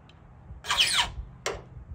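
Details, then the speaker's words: McCulloch SP81 chainsaw chain, filing rakers: sharp high-pitched file squeal on a stroke, then shorter one, from filing rakers straight across; filing at 45 degrees hardly squeaks. "see friends I'm on a 45 I it it hardly squeaks friends okay so don't file your rakers straight across because you'll get this watch"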